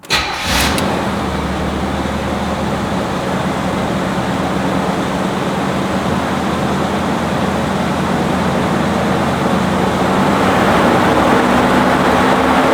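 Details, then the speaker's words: 1985 Chevrolet Monte Carlo SS with cat-back dual exhaust and 200-4R automatic: engine catches after a short crank and settles into a steady, even idle with a deep exhaust note, no knocks or misses; normal start and idle. "What we're going to do now is drop down, fire the engine up so you can hear it run."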